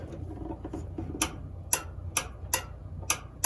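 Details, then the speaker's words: Six crisp clicks about every half second over quiet room hum from the idler pulley switch on a Kenmore 700 series dryer that won't start. The switch is part of the motor start circuit, and it is clicking normally with the belt correctly fitted. "you hear that so on the Belt is correct and working it's this is pulled up and it allows power to go to the motor and it's part of the start circuitry"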